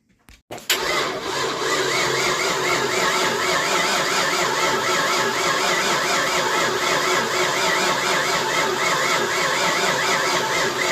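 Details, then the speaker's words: 1988 Ford Mustang GT unstarted since 1999, cranking after ignition timing was adjusted to restore spark: steady starter whine with no firing; crank no start, spark lost again, distributor later pulled and number one reset to top dead center. "Go ahead. Stop. Fire it again. Nope. No spark again. Don't understand it."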